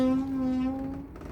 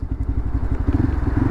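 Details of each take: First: Lexmoto LXR 125 SE motorcycle pushed by hand: low, steady moaning from the rear brake only when rolling backwards, silent forwards, before caliper maintenance. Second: Lexmoto LXR 125 SE motorcycle revving after the rattle fix: an even, low thumping beat rising smoothly with the throttle and no metallic rattle. The owner thinks the manifold caused the rattle; it and a weight-dependent noise are gone.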